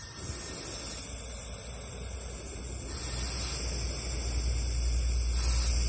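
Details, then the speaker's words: 2015 Bentley Continental Flying Spur with failed air suspension: air strut filled with air hisses steadily and hard, louder toward the end; leak traced to the air strut, where only a small rubber seal had failed. "i fill it up and air just squeaks right out of there it's not evenly it sounds like it was coming from up here but it wasn't"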